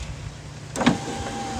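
Brief steady electric motor hum as the glass travels, smooth and even with no grinding or clicking; the window runs normally.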